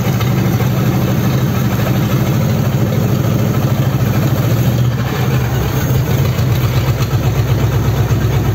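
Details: Rebuilt Ford 59A flathead V8 on a test stand, first run after rebuild with replacement crank, bearings and equal-length rods (one piston previously hit the head): low, slightly uneven chugging beat; not running quite right yet.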